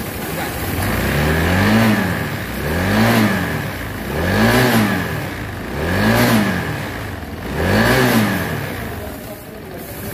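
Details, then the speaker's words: Honda Vario 160 (2023), newly bought, revved with a harsh clattery rattle that rises with speed. A loose timing chain and valves add noise, but the real cause is a scored piston. "jadi ini guys pada 160 Ini keluaran itu suara mesinnya kasar ya guys jadi sama-sama kita dengar suara ini ya"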